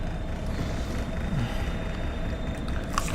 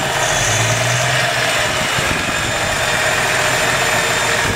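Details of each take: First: Carbureted (Weber) engine just started on first kick with choke partly on, on a chilly night: slow, even cold idle around 650 rpm, soft steady rumble, no misses or ticks; sounds healthy. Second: Carbureted (Weber) engine warm after a drive, idling about 800 rpm with steady oil pressure, under the hood: a steady hissy edge over the rumble from a vacuum leak the owner still needs to fix.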